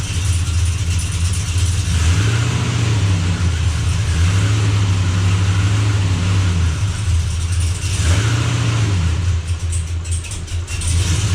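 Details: Blazer after transmission repair, running while shifter is cycled through gears to circulate fluid; deep even rumble with a few smooth rev rises and falls, no clunks or slipping flare, good oil pressure: normal running.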